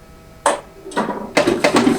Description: In this video I demo the solenoids for the Arcade1Up Marvel Pinball machine.